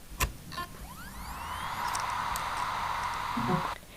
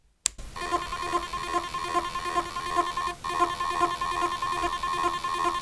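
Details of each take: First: Reference healthy hard drive: the whine rises smoothly, then holds a steady even hum with no clicking or scraping. This is a normal spin-up, unlike the faulty drive that struggled to spin up. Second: Laptop hard drive in an external enclosure: steady high whine with faint rhythmic ticking but no proper spin-up hum; trouble spinning up, failed motor possible but stuck heads more likely.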